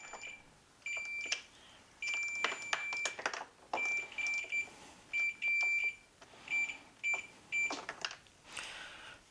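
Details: On a 1992 Arctic Cat snowmobile, a tester is wedged in as the throttle is moved to check the throttle safety switch and ignition safety circuit. A high, clear meter beep comes in repeated bursts of varying length; the safety circuit shows continuity.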